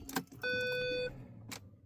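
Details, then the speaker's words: Vehicle with Trackmanager fleet tracker, tag turned off and security activated: start attempt gives one steady clear beep about two-thirds of a second, no cranking; immobiliser blocks start. "At the moment I've got the tag turned off, so up here you can see it says security activated. So if I try and start the vehicle,"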